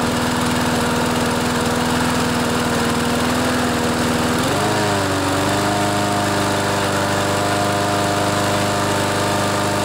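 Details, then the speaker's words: Craftsman mower with Briggs & Stratton 6.75 Series engine, fitted with a new carburetor and air filter: steady drone that dips and settles lower at full throttle, not reaching full governed speed; fix is bending the throttle linkage spring loop to tighten it. "so you can hear on full speed it's not quite revving up as much as it should so this is what we do to fix that"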